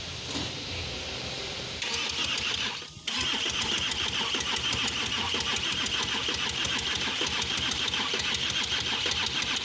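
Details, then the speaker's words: 2013 Audi Q7 diesel, crank no start after timing chain replacement and oil leak repair: fast, uneven cranking spinning too freely with no firing, sounding short on compression despite fuel and air present; consistent with valve timing out. "but you definitely hear the sound like it's lacking compression"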